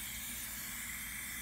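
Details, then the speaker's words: Turbo diverter valve bench test at 30 psi in, only about 16 held: constant airy hiss while pressurised, air leaking past the diverter valve; owner suspects it caused problems on the car he bought with them. "okay we're leaking out through here could be why the car that when I bought the car with these on that could be why I had it"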